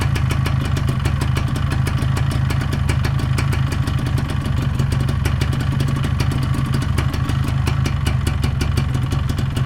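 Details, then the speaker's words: Yamaha 125ZR two-stroke after fitting head block and new piston rings; quick even popping at steady idle, earlier rattle gone, leak still unconfirmed; normal idle. "Okey, kalau korang boleh dengar lah, dia tak ada bunyi kacang-kacang dah macam dulu."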